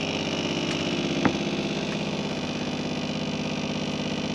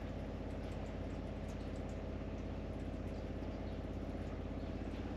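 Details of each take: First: Caravan water pump under seating, before fix, about 57 dB: buzzy electric hum pulsing about three times a second, rattling through the cabinet; pump vibration carried by tight pipes into the box. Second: Caravan water pump after quietening work, seating back in place: soft low hum with faint patter, no rattle; down from about 57 dB to about 40–42 dB, a lot quieter than at the start, normal running.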